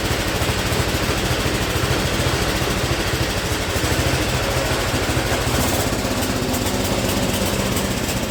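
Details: Speedex model 1630 garden tractor single-cylinder engine with new carburetor, reused old head gasket, running and moving first time in years: steady fast-idle chug with uneven, slightly lumpy beat; runs but not cleanly, cause unconfirmed.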